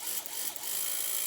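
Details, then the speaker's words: DC solar-powered centrifugal well pump converted to automatic with a pressure switch, tap opened fully so the spring closes the contacts: steady high-pitched motor whine with water hiss after a brief start, even tone; normal pump running. "เห็นมั้ยครับว่าตัวสปริงนี้จะดันเพื่อให้ต่อวงจรนะครับปั๊มก็จะทำงานเสียงดังแบบนี้"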